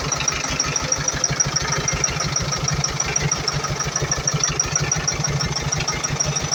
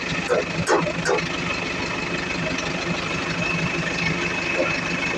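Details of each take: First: Iveco Eurocargo Tector diesel truck idling with an uneven, lumpy beat and white smoke from a defective electro-injector; rough idle. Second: Iveco Eurocargo Tector diesel, which has a defective electro-injector causing rough idle and white smoke: after starting it settles to a fairly steady, even idle with a few early clicks, no obvious misfire.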